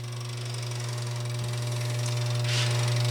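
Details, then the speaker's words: 1948 Gottlieb Olde King Cole pinball, restored and power-washed: steady low mains hum from the transformer at one pitch, no buzzing or rattling. Normal transformer hum. "relays that control your points that's your Transformer that's the hum in you here"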